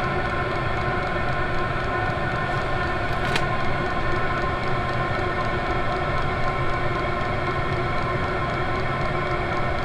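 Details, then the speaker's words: Cheap Chinese 24 volt 8kW all-in-one diesel air heater, running a couple of minutes on default setting, outlet around 300 degrees: steady even fan roar, louder than expected, pump ticking buried under airflow, no surging; normal running. "videos that i've watched said that they're pretty quiet but uh i'm not gonna call this real quiet i don't think you'd want it in the same room with you"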